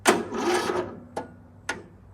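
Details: Lawn mower with a weak battery, before hooking up a 2500 peak amp jump starter: a short sluggish groan, then lone clicks about every half second; the battery is too weak to turn the starter over.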